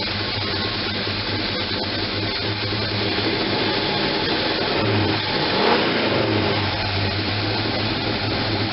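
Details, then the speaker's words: First run after gas tank install: engine runs lumpy and uneven, about four beats a second and wandering, because the manual choke was left fully closed; once opened it idles at 700. "so no leaks or anything nasty like that it just sounds like she's kinda choking the choke is closed totally close"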